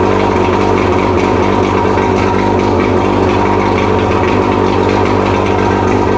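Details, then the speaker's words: Mercury 115 outboard after rebuild fixing a hammering idle knock from a severely worn piston, on mixed gas test fire: steady even idle, smooth low drone, no knock or tapping; normal idle. "Fucking sounds amazing. Yeah. Sounds a whole lot better than it did. Yeah, I know. When you sitting here last time. Yeah, none of that knock stuff."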